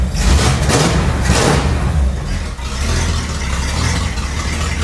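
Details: 1961 Cadillac DeVille with its engine and transmission refitted and fuel lines plumbed in; very loud, deep even V8 burble settling to a steady idle with no knocks or misses; normal idle.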